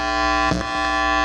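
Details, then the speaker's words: Amp powered on, volume up, 3 m anti-hum muting instrument cable (L-type and straight plugs) plugged in reversed: steady buzzing hum with bright edge and brief crackle as plug moves; silent when returned to correct L-type orientation; ground-loop hum from reversed cable. "Yan siya. Pagka binaliktad mo, maingay."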